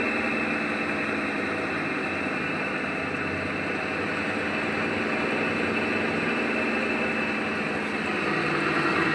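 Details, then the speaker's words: LG top-load washing machine with the customer complaint of excessive noise while running: a loud, constant grinding hum with a steady whine. The clutch lever was ruled out; the cause is the clutch, rusted from leaked water. "ஆனா இதுக்கு அந்த பிரச்சனை இல்லை இந்த clutch வந்து பிரச்சனையாலதான் இந்த sound வந்து வருது."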